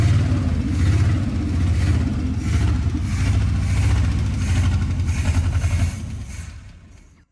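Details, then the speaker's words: 1955 Chevy 283 small block, started after 37 years parked in a field, with a new starter, cap, rotor and points. Deep uneven rumble surging and stumbling under light throttle, then it dies. Suspected backfire from a badly worn carburetor that needs rebuilding. "Something popped. I think it just backfired cuz the carburetor is so messed up. Yeah. This needs to be gone through."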